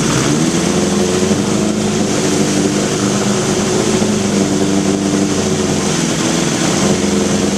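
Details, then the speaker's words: 1981 Honda CB750 K1, about 3,900 miles, carbs reportedly just cleaned and overhauled: loud steady idle lifts when intake boots and throttle shafts are sprayed, showing vacuum leaks there, likely degraded original seals rather than worn shafts. "all right throttle shafts and boots and not to mention that accelerator leak"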